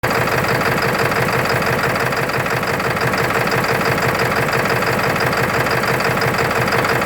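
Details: 1996 Ford F350 7.3L diesel, recorded from the open hood: uneven, lumpy clatter at idle, about three beats a second, never settling; rough idle, cause unclear.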